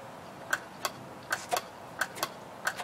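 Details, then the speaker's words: Washing machine water-level pressure switch tested by blowing into its hose: sharp clicks in pairs as it snaps over; good switch, diaphragm not broken. "Hear that clicking sound up there? That's a good switch. That means it's working. The diaphragm's not broken."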